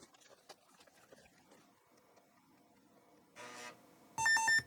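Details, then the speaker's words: Old floppy disk (Bit Barn) being formatted with FormatQM 2.02: soft head-stepping ticks, short buzz, then clean steady two-note beep meaning format complete with no errors; bad disks give a different tone. "there we go complete no errors when the disk is bad you have a different tone so you can just listen for it and toss the disc out when you hear the bad tone"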